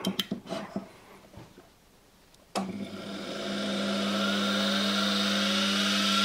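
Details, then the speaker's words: Washing machine motor on a bench test rig, run up with test leads wired to the fields: a clean, rising whine that settles steady, no sparking at the carbon brushes, bearings quiet despite the motor being close to the microphone; normal running. "as you can hear no sparking on the actual carbon brushes the bearings are quite quiet for the motor being so close to the microphone"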